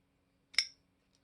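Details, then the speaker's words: Ganzo FH51 folding knife, compared with an AliExpress Benchmade Bugout copy; one crisp metallic snap as the blade flicks open, then faint light clicks, opening perfectly smooth every time. "i can try to make a fail yeah it opens every time it's perfectly smooth both on the open you can"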